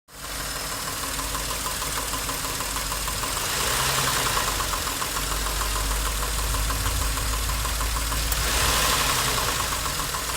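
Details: Nissan Maxima A32 3.0 V6 at steady idle: a quick, regular ticking knock at about four per second rides over the idle and gets louder as revs rise; engine knock inside the V6.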